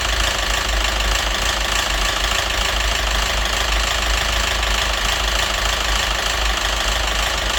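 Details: Citroen DS3 1.6 petrol idling with a persistent light internal knock, about three per second. It had been run without oil, with hunting revs and rich-mixture, oxygen sensor and phasing codes. Knock unchanged after a part swap; head or crankshaft suspected, not confirmed.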